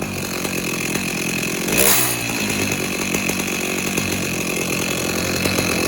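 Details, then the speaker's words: Stihl MS290 chainsaw with clutch-area noise, revving with bar and chain fitted: harsh ragged rattle under the engine buzz; wrong bar and chain fitted, and the clutch sprocket needs replacing. "Yep, there's a noise there. All right, so we'll let him know that the wrong bar and chain is on this and that the sprocket needs to be bought for it also."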